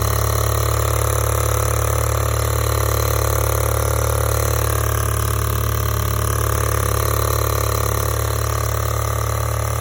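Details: 2016 VW MK7 GTI with 96k miles, petrol engine idling: fast steady ticking clack over the hum, traced to very loose high-pressure fuel pump bolts; tightening them fixed it.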